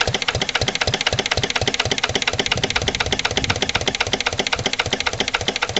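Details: Lister LD1 single-cylinder diesel on a chilly morning, after a fuel filter change and bleeding. Slow chuff, about four firing beats a second, with a sharp knocky edge and slightly uneven spacing. Owner suspects the injection isn't right, possibly a missed bleeding step.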